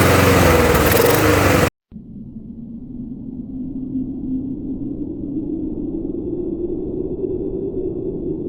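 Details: Murray mower, Tecumseh engine swapped for a Briggs (stated as "brace"), with a second carburetor after the first was cleaned four times including ultrasonic: after a brief cutout engine returns with uneven wavering drone that won't settle; rough hunting, cause unclear.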